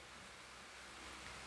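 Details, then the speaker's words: Electric fan that ran slow or lacked power, after replacing the capacitor: it reaches speed in about three seconds and runs with a steady, even, louder rush of air with no knocks or hum; normal full-speed running. "o ruído até mudou também, suponho que dá para ouvir no microfone o barulho que o ar faz que é mais alto do que fazia antes."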